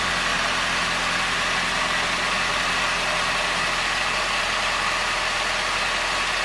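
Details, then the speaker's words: Ford Ranger 2.3 after preventative oil pressure switch replacement, no oil pressure warning: steady, even idle with no knocks, ticks or misses under some hiss; normal idle, no leaks found. "usually just listen for funny noises I'm also waiting to see if I get anything from indication about oil pressure"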